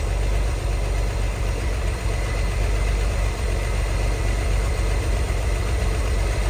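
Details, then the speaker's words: 1963 Chevy Corvair Monza Spyder turbo flat-six, parked since mid-1970s, test-run on its own fuel pump with clogged lines and old fuel: smooth settled low rumble, no knocks or misses; earlier noise (fan/generator suspected) reduced, no fuel leaks, idling nicely. "but it's running off its own fuel pump right now I don't see any fuel leaks it's idling nicely"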